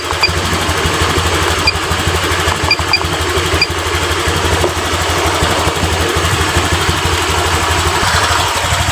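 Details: Honda Vario 125 LED scooter after idle and throttle adjustment, idling at about 1400–1500 rpm with injection duration around 2 ms: a steady, even putter with no stumbling, misses or surging. Normal idle, and throttle response is now good.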